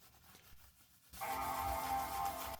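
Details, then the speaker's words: 2015 MacBook Pro, revived after a battery replacement, fresh thermal paste and cleaning, is powered on by accident and plays one clean, sustained classic startup chord. It boots normally, showing the battery replacement worked. "Giving the laptop a once over with some cleaner, and I hit the power button by mistake, and we get to hear the classic Mac startup sound."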